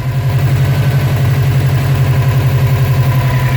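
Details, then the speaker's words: 2006 Subaru STI with a newer-model STI turbo fitted by a previous owner: deep lumpy idle with uneven pulsing, car shaking heavily, pressure pushing oil out, blue-looking smoke worsening; bad turbo or blown head gasket suspected. Rough idle with heavy shaking. "So the car is shaking a lot. Okay, and compression is coming through"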